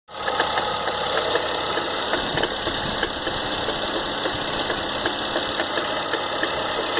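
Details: 2013 Ford Fusion 2.0L EcoBoost at idle: a light, quick ticking knock that repeats steadily over a thin, hissy engine note. The source of the engine knock is not yet known.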